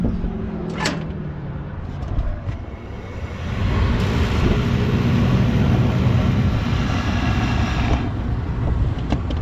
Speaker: holy crap see what happens when this blower starts up here already vibrating kinda